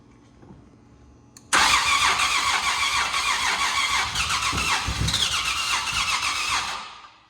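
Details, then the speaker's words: Nissan VQ37VHR just fitted with a Soho Motorsports top-mount single turbo kit, first start attempt with fuse in, untuned, cold at 29 degrees: starter cranks fast and even for about five seconds but never catches; owner suspects it needs the tune. "Again. Huh. Again. I think we need that tune maybe."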